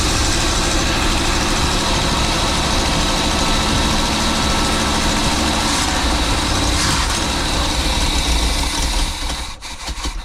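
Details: Birchaven motorhome V8, Quadrajet carb, restarted after 12 years stored, fed from a gas can, radiator cap loose, coolant leaking: steady, even idle with smooth low rumble, no knocks or misses, then shuts down; normal idle.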